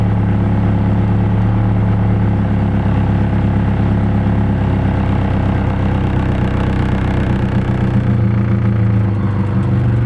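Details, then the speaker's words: KA that is hard to start, runs rich and smells strongly of fuel, before the fuel pressure regulator is replaced: low, lumpy idle that sags and wavers, then stalls; a bad regulator is suspected. "it's like struggling to keep idle and it goes again and it's dead"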